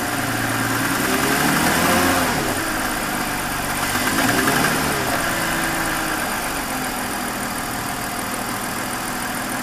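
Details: 2001 BMW 530i M Sport (E39) at idle: wavering whirring tone swelling and fading over a low rumble; recently developed abnormal engine noise, cause still being investigated before repair.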